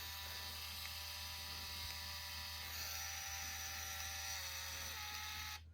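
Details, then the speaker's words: Canon IXUS Z70 APS film camera rewinding a partially exposed roll via the mid-roll rewind button: quiet, steady high-pitched motor whir with faint low hum for about five seconds, stopping cleanly; normal film rewind. "So I press that mid-roll rewind sort of button. You can hear it reeling the film back into the cartridge."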